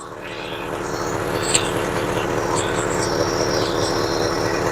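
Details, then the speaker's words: 1966 Ford Galaxie 500 V8 after work before a car show: smooth, steady low idle with an even beat, starting and running well, though a slight stumble on recovery and a vibration sound were noted just before. "I'm really happy with how that starts and how that's running. That sounds good."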